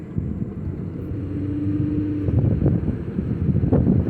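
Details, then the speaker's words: 2008 Ford Fusion driving after repairs (engine mount, intake, water pump belt, oil and transmission fluid changed): smooth, even low hum rising gently as it pulls away, with wind and road noise, only rusty brake rotors heard; no knocks or whines, normal running. "that feels good sounds smooth so far yeah we're going to do a mini run"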